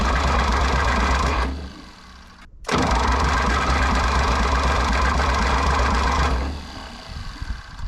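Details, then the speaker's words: 1960 John Deere 1010 diesel tractor, cold block, cranking fast with starting fluid, starter smoking and overheating; long fast even cranking that never catches, owner suspects injection pump timing 180° out; crank no start. "faster doesn't sound good either ooh and the starter's smoking well before that starter dies"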